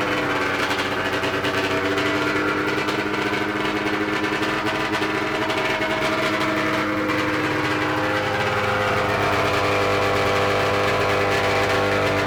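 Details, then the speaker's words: 1994 Ski-Doo Mach 1 670cc 125hp two-stroke go-kart after throttle cable tension relieved: steady busy buzz at fast idle, no misses or surging; sounds healthy and track ready. "it sounds good it does yeah i think it's ready for the track i think it is too"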